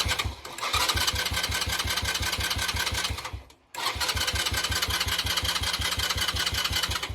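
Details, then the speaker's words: Lexmoto Street 125 single-cylinder, bought as a non-runner, thumping at a fast steady beat that fades and dies when given more throttle, then picks back up; fuel starvation stall. "it turns on all right for a second or so and then once i get too much it just dies"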